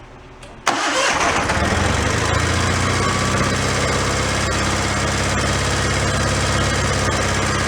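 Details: Donated John Deere 318 garden tractor that had broken down, now cranked: it catches at once and settles into an even, steady idle with no misses or knocks. It runs fine.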